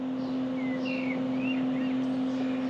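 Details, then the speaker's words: 1993 Mercedes-Benz 220CE (W124/C124), non-runner, key on before cranking: steady mid-pitched electric hum without a break; fuel pump stuck on, running continuously. "that's the fuel pump then it's stuck on let's just try and start it now see what happens"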